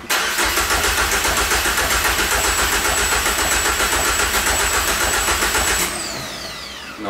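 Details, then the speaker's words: Peugeot 205 GTI engine swap, fuel pump wired in temporarily, no fuel pressure; starter cranks evenly three or four beats a second for six seconds, never catches; crank no-start, no fuel pressure. "et donc voilà on a branché notre pompe à essence de 205 à l'arrache vas-y appuie il n'y a même pas de pression"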